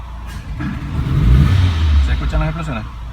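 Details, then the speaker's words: 2007 Renault Logan 1.6 8-valve SOHC with hard starting, fuel-soaked plugs, smoke and unstable idle, revved by hand: engine stumbles and flattens under throttle instead of climbing cleanly; misfire and bogging, MAP sensor circuit suspected. "pero si toma en cuenta este es un ser que está aquí que el sensor de presión el colector juego el famoso map y el más tenso no sé por qué está así fíjense que si lo aceleró hay que escucharlos bien cómo acelerar"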